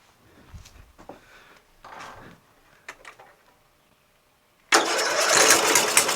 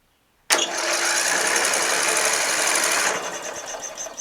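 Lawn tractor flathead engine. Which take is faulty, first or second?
second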